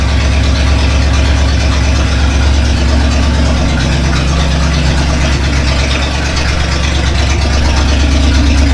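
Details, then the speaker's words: Freshly rebuilt Chevy 283 V8 in a 1965 Nova wagon, first start after install, with one side's exhaust pipe left unconnected: a deep, loud, harsh, unmuffled rumbling burble from the open pipe. Needs an exhaust shop to fix. "yeah that sounds terrible one side uncorked anyway well it's up and running at least we just got to take it to the exhaust shop they'll fix it up for me not that big a deal"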